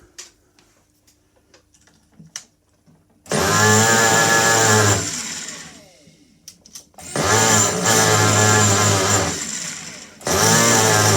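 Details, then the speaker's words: Restored vintage Italian 1/4-scale RC motorcycle with a Picco 21 glow engine, second start of the day: three shrill high-revving bursts that drop away cleanly, running fine, though the idle stops when the brake is applied. "Whoa. Well, that sounds all right, doesn't it? I've got to get the tick over sorted cuz it's stopping when I put the brake on."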